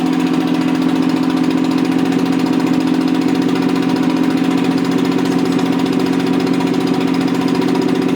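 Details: Rebuilt Toyota 7M-GE on a furniture dolly, valve seats dremeled: steady idle with an uneven, loping beat about three a second; pulling number three made no change though it sparks, suspected bad plug or no compression; dead cylinder, leaking exhaust valves.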